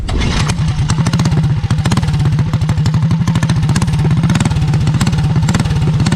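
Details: Heathkit Boonie mini bike with Predator/196cc-212cc-type single, Stage 1 kit, Mod2 cam, 22lb valve springs: fast, even low thump with steady firing, no misses or knocks; healthy engine.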